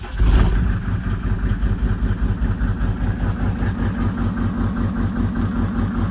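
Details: 1996 Mercedes-Benz G300 G-Wagon, OM606 diesel, bought non-running; after an injection-pump code check, brief starter burst then even, steady low idle clatter with no misses. Crank position suspected as the fault; a glow error is logged.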